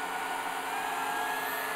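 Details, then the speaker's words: IBM DPS-2000BD power supply charging batteries, load ramping up beyond 30 A: steady airy hiss with faint thin tones appears as voltage drops, though it stays fairly stable; no hiss at 30 A alone. "here now you can hear it the voltage goes down and there's kind of hissing noise somewhere in there and the voltage has gone down but it's fairly stable"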